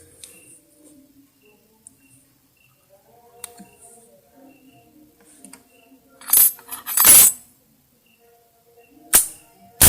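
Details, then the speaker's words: Modified ignition points (platina) spark test on the bench; sharp snapping cracks come in short pairs, and the changing tick/tut sound when the contacts meet shows the points-to-coil gap is set correctly, giving a strong clean spark. "Nah kalau suara antara sebelum ditempelkan antar stik itu berubah Nah kalau di dipisah berubah suaranya kasar kalau ditempelkan tit atau tut Nah itu baru setelan antar jarak platina sama spolnya sudah pas sudah baik"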